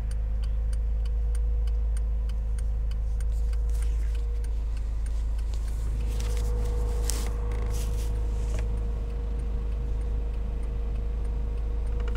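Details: Toyota AE86 4A-GE after spirited driving: sharp, even ticking about three per second at idle, heard alongside engine and diff whine, fading under throttle feathering; owner suspects an exhaust manifold/extractor leak.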